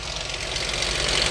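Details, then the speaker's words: Dodge 2.7L V6 with aftermarket coolant bleeder tube, at idle: light, quick ticking above the engine hum; sounds like valve train, cause not confirmed. Engine ticking at idle. "Whoa. Y'all hear that? Uhoh. God, that sound like valve train."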